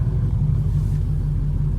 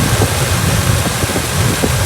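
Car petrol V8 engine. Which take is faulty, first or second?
second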